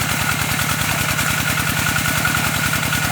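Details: Engine-driven water pump with a steady engine and a low, rhythmic thumping about three and a half times a second from a shaking drive belt; the mounting was not tight, and a longer belt is recommended.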